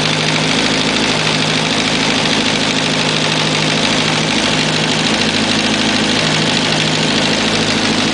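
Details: Kawasaki ZX11 motorcycle at idle: faint uneven tapping about three per second over steady engine hum; unusual engine noise, source not identified.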